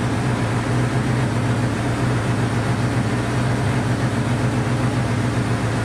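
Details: Honda CB500 four-cylinder after carb rebuild and float reset, on auxiliary fuel tank; low, lumpy, wavering idle, firing on all four but struggling to hold a clean idle.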